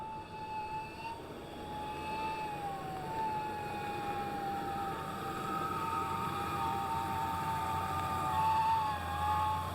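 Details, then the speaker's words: 1991 Ford Ranger 4.0 V6, engine running: high, wavering scream near 1 kHz over a low rumble that has grown louder; owner first suspected the alternator, and the cause is a failing power steering pump. "so as you heard I have a bit of an issue with the Ford Ranger so it's screaming pretty good I think it's the alternator but it's gotten louder"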